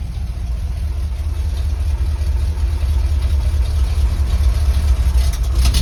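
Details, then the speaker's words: 1976 Highboy truck, first start after installing a newly MIG-welded homemade exhaust and reconnecting the battery, engine cold: low, soft, steady V8 idle rumble with no ticking or exhaust puffing. Quiet normal idle. "Battery fired up for the first time. Hear what it sounds like. Oh, it's so quiet."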